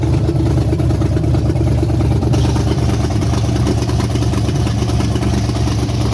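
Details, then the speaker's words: Rebuilt 5.3 V8 with aftermarket BTR/Summit cam: lumpy, choppy loping idle about three pulses a second over a deep rumble, typical big cam; running healthy, burning off residue. "you want to start it up and let it run a second I hear the cam you can hear it"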